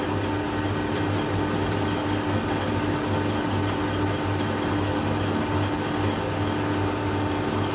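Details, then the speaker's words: REVA G-Wiz traction motor commutator being skimmed on a lathe: sharp, evenly spaced ticks about four per second over the lathe hum from heavily worn, previously damaged commutator bars. "there's quite a lot of wear on this competitor yeah that's what we um that must have been the sound when i put the brushes back in"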